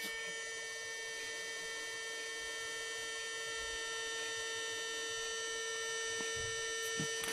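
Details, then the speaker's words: Mercedes non-ASR throttle body on the bench, idle step motor energized: a steady, even high-pitched electrical buzz, the same as an ASR unit. The motor holds the throttle plate, working normally. "So, all I'm going to do is I'm going to energize it and I show you. As you can hear, the same buzzing noise as with ASR"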